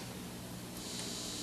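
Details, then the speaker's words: A vintage Teisco Checkmate 10 solid-state guitar amp with a 2.5 W speaker, revived, gives a soft, even hiss with a faint low hum at full volume and no crackle or popping, normal for this amp. "you can hear the hiss I mean it's again this isn't anything that's not inherent on practically every guitar in the world"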